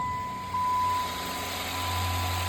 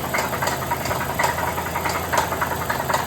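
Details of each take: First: 2015 Chrysler 300C 5.7 Hemi V8 with five-speed NAG gearbox, after bottom-end repair and pre-oiling by cranking; settles into a low, even idle with no tapping or misses, running smooth; check engine light on. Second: 2015 Chrysler 300C with 5.7 Hemi, startup before the rebuild; heavy, sharp metallic knock about every half second over a rough idle; owner reports a really bad engine knock, fixed with a rebuilt engine; rod bearing knock.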